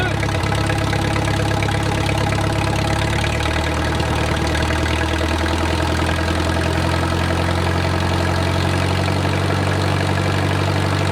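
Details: Wartime H tractor revived after 20+ years of sitting: idle slowed and warming to full operating temperature, with a steady even low idle and no knocking. Oil pressure is good, and a typical oil leak is burning off.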